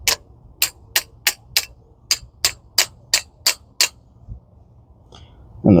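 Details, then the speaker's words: 2011 Ford Focus rear drum brake during the brake job: eleven crisp, evenly spaced ratchet clicks, about three a second, as the spring-loaded toothed adjuster wheel turns, normal self-adjuster action. "that's probably loud for you guys, but it's got teeth on this wheel and it's, you know, spring loaded to keep a constant tension uh, you know, where it needs to be set."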